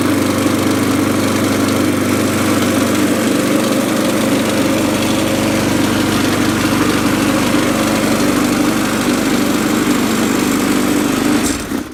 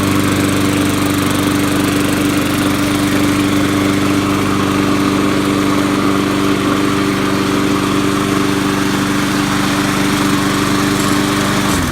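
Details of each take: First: Murray deck mower with a Poulan Pro Briggs & Stratton 5.50 single-cylinder engine at full throttle: steady running with a coarse rattling shake throughout, then it cuts out. Vibration from an out-of-balance 22-inch blade. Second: Poulan Pro Briggs & Stratton 5.50 engine on a Murray deck, trash-picked mower previously shaking badly from the blade; after a new blade, smooth even constant-pitch hum about twelve seconds with no shake, then it winds down.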